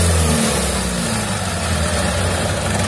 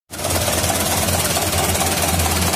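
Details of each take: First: 2011 Mitsubishi Canter Super Speed diesel truck after the cracked injection pump timer was dealt with and the pump reset: steady, even diesel clatter holding constant speed with no misses or knocks; healthy engine. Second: 2011 Mitsubishi Canter Super Speed diesel truck idling harsh and uneven, with a lumpy low knock under clattery top end, a 'tak' on shutdown, heavy throttle and weak power; diagnosis found a cracked injection pump timer.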